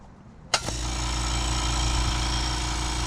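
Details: Ultra-quiet 2-gallon air compressor running during leak-down testing on a freshly rebuilt 2000 Jeep 4.0L: kicks on with a thump, then a steady, even, quiet hum with no knocks or rattles; normal running.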